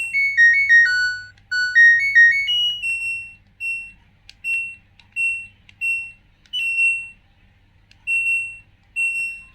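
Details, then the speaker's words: LG Turbo Drum Smart Inverter washing machine after control module repair, module powered but not connected to tub: rising chime melody then single high beeps about once a second; PE error code alarm, expected while unconnected. "kode pe ini atau kode error ini karena tidak terhubung ke tabungnya ya teman-teman"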